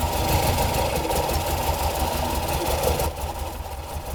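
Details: Morris Minor first run after 21 years in storage: uneven, lumpy running with a loose irregular beat and a stumble near the end; engine barely running, rough after long storage.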